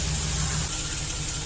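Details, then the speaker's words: Chevy Express V8 idling, warm-up uncertain: uneven stumbling misfire returns on cylinder 1, which has scored walls leaking compression into the crankcase, despite engine restorer poured into the cylinder; owner thinks it is too far gone. "yeah the idols coming down usually is misfiring by now you see the history there oh there it goes I didn't think it was going to do anything it was wishful thinking"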